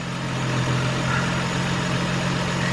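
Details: 2003 Nissan Maxima GLE 3.5 after partial engine rebuild (new bearings, new cat/pipe burning off): steady low idle with an even, smooth beat as the idle speed comes down, no knocks or ticks; normal idle.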